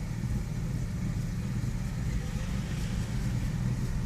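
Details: 2001 Nissan Xterra at idle: low, lumpy, uneven idle with no clear knock; intermittent rough idle, rough for 5-10 minutes then normal for 5, with a misfire problem also present; cause undetermined.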